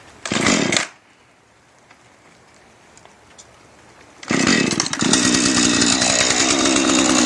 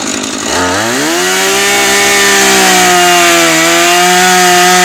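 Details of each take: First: Husqvarna 435 chainsaw, bought new refurbished online: catches after a pull, settles briefly, then revs up clean and even without stumbling; engine starts and runs normally, though the chain cuts poorly. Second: Refurbished Husqvarna 435 chainsaw cutting wood: revs to a high steady scream and barely sags in the cut, chain not biting and burning through; dull chain.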